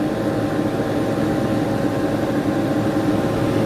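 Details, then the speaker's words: Chevy Silverado 15-inch PWM electric radiator fan with BurnDown/Warr performance shroud, stepped from 30% to 50% duty cycle: steady even rush of air, faint constant hum, no rattle; airflow jumps to about 1300 CFM, running normally. "So we're going to bump up to 50. You can hear it ramping up."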